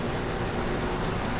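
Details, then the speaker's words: Dehumidifier after owner's repair, previously not working: steady even compressor hum with soft airy hiss, no knocks or rattles; coils getting cold and hot, working normally; something popped up just before, cause unknown. "Pretty sure it's working now."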